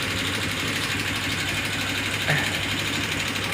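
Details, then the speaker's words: 2018 Honda Vario 125 FI scooter at idle, before opening the front engine cover to check valve adjustment: steady idle with fast, light ticking over the engine note; suspected loose valve clearance. "nanti di sini mudah-mudahan bermanfaat buat teman-teman semua ya apabila motor teman-teman mengalami keluhan yang sama motornya terasa suaranya gelitik-"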